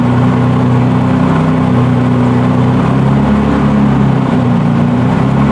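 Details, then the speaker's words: BMW E46 with turbocharged M52 (Precision 6466 turbo), just after first start following engine build: loud steady drone, even low rumble, no knocks or misses; good oil and fuel pressure, normal running. "It's running. You can breathe now. We have good oil pressure. Good fuel pressure."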